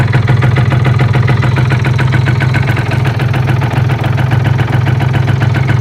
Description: Bruit de métal dans moteur Euro 3